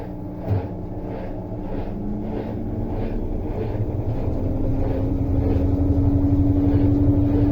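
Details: Electrolux LTE12 washing machine, motor just refitted after a loud strange noise a technician blamed on the whole mechanism: motor spins up smoothly with a steady hum climbing in pitch, no grinding or rumble; runs normally.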